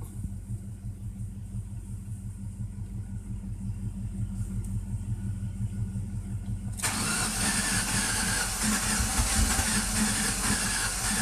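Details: 1997 Ford Taurus cranks but won't start: steady starter chugging about three beats a second, then a loud rush, never fires; fuel pump already replaced, spark present, fuses good, battery disconnected an hour to reset computer, still no start.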